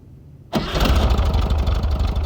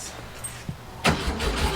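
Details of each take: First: 1967 VW Fastback after sorting its repeatedly failing ignition: the engine catches at once and settles into an even, low, steady idle with no misses or knocks; normal start and idle. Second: 1967 Volkswagen Fastback, battery charged and ignition module reinstalled: brief starter cranking after a quiet moment, no cough or firing; crank no-start with no spark, repeatedly burning out ignition modules.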